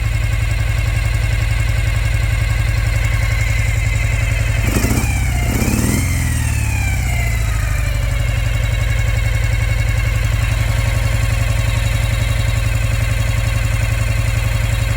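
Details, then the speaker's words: 2005 Ural Patrol motorcycle, boxer twin, after swapping left and right carbs: lumpy, loping idle with uneven beat after throttle blip, firing on left cylinder only, not right; misfire, running on one cylinder. "same thing firing on the left not on the right"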